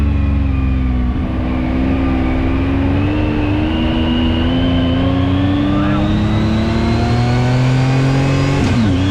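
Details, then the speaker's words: 2019 Yamaha YXZ1000R SS side-by-side with a 5-speed gearbox, clutch and paddle shifters, driving: a steady whine climbs in pitch with road speed as it pulls through the gears. This is normal gearbox whine. "So let's take this thing for a quick spin, just so you can hear the gearbox whine and see how fun this is."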